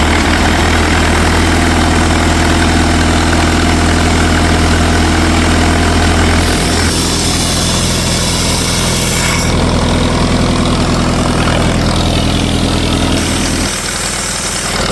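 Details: 1964 LeRoi 125G1 trailer air compressor, engine about 42 hp and possibly an Allis-Chalmers D226, straight-piped with no muffler, after a pressure adjustment. Loud steady low thudding idle, the note shifting slightly with load but smooth and even. Normal running.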